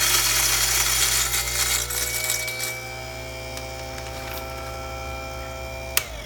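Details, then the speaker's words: Jericho-type direct-drive burr coffee grinder, freshly calibrated possibly fine: rough, noisy whir on start settling into a high steady whine, coming up to speed very unevenly. "let's turn on this one very uneven as it comes up to speed you'll hear that sound"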